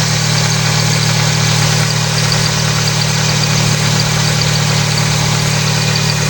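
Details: Engine started after alternator bracket realignment with the harmonic balancer settles into a smooth, steady idle with an even beat, no knocks, squeals or belt chirp; it sounds healthy.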